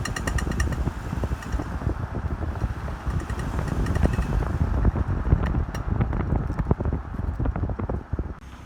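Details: 2005 Volvo XC90 while driving: sharp metallic pinging clicks over heavy road rumble, first suspected front CV axle or suspension, diagnosed as the driveshaft (prop shaft) and repaired.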